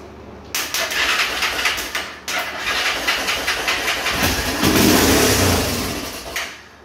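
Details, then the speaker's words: Honda 300EX single, not run in two owners, running off its own tank: ragged running with busy top-end clatter rising with revs; manual timing chain adjuster fitted (red flag); worn cam and broken timing chain guide. "Well, this thing kind of runs like hell. I got it running off its own tank, but a lot of noises coming from that area right there. Like I said, that's always a big red flag."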